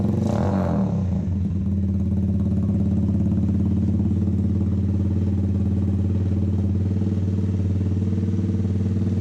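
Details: Custom drift trike with a 125 single-cylinder engine and a newly finished exhaust and muffler; steady, deep, throaty burbling idle with an even beat and no knocks or rattles, sounding nothing like a 125 and healthy.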